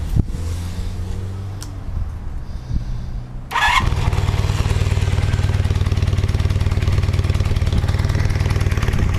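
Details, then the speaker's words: 1978 Honda CB400T II with pod air filters wrapped in cotton fabric to curb low-rpm air surge, just started and still cold: catches after a few seconds of cranking, then uneven, lumpy idle struggling to stay steady; owner suspects too much air. "still cold. I mean, I like just cranked it, so usually it doesn't run like it's gonna until it's warmed up after a mile or so. So it usually acts pretty crazy, but maybe maybe we can tell what it's gonna do with a little throttle."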